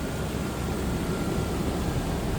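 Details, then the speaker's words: 2000 Toyota Land Cruiser 4.7 L V8 with K&N cold air intake, automatic with overdrive, heard under the open hood: deep, even hum with no ticks, misses or knocks; running smooth, normal idle. "smooth, sounds good. Obviously, reliable engines."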